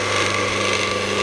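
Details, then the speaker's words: Scheppach DMS 900 wood lathe after pulley and bearing replacement, pulleys shifted to the fast drive: steady motor hum with a buzzy rattle riding over it, source not yet found. Rattle at high speed. "all right if I can just find out what that rattling is uh should be in good good shape"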